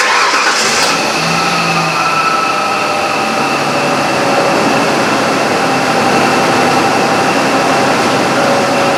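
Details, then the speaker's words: 1998 Ford Ranger 3.0L with good fuel pressure and no misfire code, cylinder two misfiring: after cranking it catches and idles with an uneven, stumbling beat during a coil-to-plug spark check. "I'll start it up it's gonna run rough already know that but it'll give me a chance to check the spark at the coil make sure I'm getting good spark on that cylinder"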